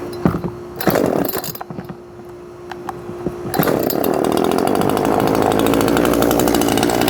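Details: Homelite chainsaw that would not start, after removing and cleaning a very dirty carburetor: a few rough pull-start bursts, then it fires and holds a steady, high buzzing run without sputtering; healthy.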